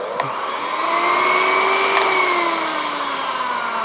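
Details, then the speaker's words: Old-model hand beater from a charity shop, run at power-up: smooth motor whine that slowly rises in pitch, holds, then eases back down; the motor runs evenly and sounds fine. "Oh, very slow to take off. actually sounds okay. I like that it winds up slowly and winds down slowly."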